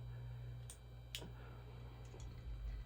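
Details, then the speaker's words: Hunter Original ceiling fan after reconnecting the red motor lead and replacing the pull chain switch; quiet steady low motor hum with only a couple of light ticks, running smoothly and evenly: normal running. "Oh yeah, she works just fine. Let's go test it on all three speeds."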